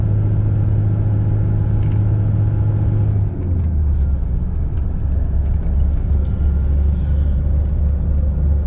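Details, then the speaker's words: Toyota Hilux 2.5 2008, 284,000 km, at a steady 50 km/h before repair: deep steady driveline rumble, heavy low drone shaking the cab; worn propshaft universal joint, also causing bearing-like noise at 80 km/h. "vamos solucionar esta vibração a 50 por hora uma vibração terrível ó novamente ó"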